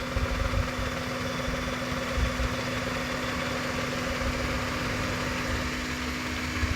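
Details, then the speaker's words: Maruti Suzuki WagonR K10 three-cylinder engine at idle with the check engine light on: uneven, stumbling low thump with heavy engine vibration, missing on one cylinder. The ignition coil and then the spark plugs are to be checked step by step. "Engine missing है और आप देख सकते हैं यहां पर पूरा vibration ले रहा है इंजन"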